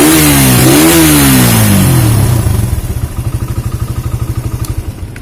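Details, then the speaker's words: Suzuki Satria FU 150 after head and block reassembly: engine revs then settles into steady, even idle about three firing pulses a second, no knocks or misses; normal running after fixing carbon-stuck piston rings that caused no-start despite good spark, fuel and compression. "Alhamdulillah sudah nyala ya teman-teman sudah hidup dengan normal"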